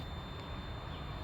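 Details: 1999 Lexus GS 300 after replacing the brake booster/master cylinder assembly, which had caused a continuous cabin buzz, ABS and brake lights and no brake assist: the pump cycles with steady low hum and thin whine, no buzz, running normally.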